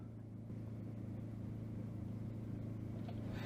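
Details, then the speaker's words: Hillman Imp fitted with a Citroen Saxo VTR engine, off the road two years: fuel pump running via a Saxo inertia switch, but the starter churns steadily at three to four beats a second and it never catches because the tank is out of petrol. "okay yeah so i've run out of petrol"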